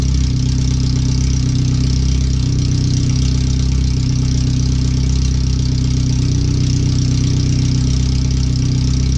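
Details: First startup after a header swap, fuel filter replacement and relocated O2 sensors with a wideband bung; idling on the open header with the rest of the exhaust not yet fitted. Deep, loud, rapid idle pulses with heavy low rumble and no muffling. The computer reads 5–7% rich.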